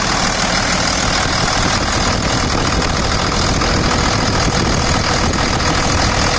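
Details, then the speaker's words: 2000 Dodge Ram 2500 Cummins diesel at 210,120 miles, with a 65-inch non-AC serpentine belt bypassing the AC compressor pulley: steady, even diesel clatter at idle with no squeal or chirp. The belt tracks straight and the idle is normal. "So I'll go ahead and start it here now. Let's go right over here. Sounds good. Okay."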